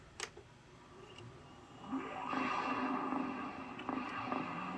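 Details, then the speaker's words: Original Xbox console (error codes 08 and 12, clock capacitor a known issue): click at power-on, then fan spins up to a soft steady whir with no rattles or grinding; startup sounds healthy. "Okay, that all sounds good. Machine sounds good."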